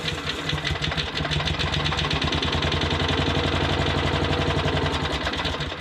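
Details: Modified lawn mower, freshly finished with oil added and blade guard refitted: engine catches and settles into a steady busy putter without stumbling or knocking; runs normally.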